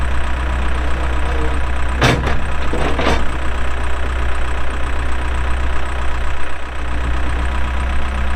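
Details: 2007 Case 580M Series 2 backhoe, 4WD, Extendahoe, pre-emissions diesel, 3,812 hours: deep, steady low-speed diesel rumble, a couple of brief bangs from the machine working, engine even; runs good, hydraulics strong, normal running.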